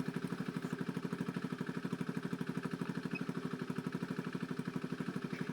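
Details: Honda Beat FI scooter brought in for stuttering when throttled; after O2 sensor reads and fuel trim adapts toward 14:1 AFR and altitude mode is learned, it idles steadily at about three firing pulses a second with no stumbles or hunting.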